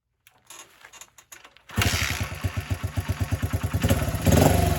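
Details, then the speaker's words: 1978 Honda XR75 single, restored, after moving the carburetor needle clip to the manual's position: catches and settles into a quick even putter, picking up cleanly under throttle; normal running. "I drove it that way for years but luckily I checked the book made the adjustment and now we're up and running"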